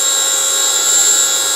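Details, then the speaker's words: Motorised grinding spindle on a mini lathe running on its driver with no error codes, speed pot turned up, then turned down before stopping; steady, even high-pitched whine with no roughness: normal running. "well it's continuing to run so turn the speed down and press stop stop works as well"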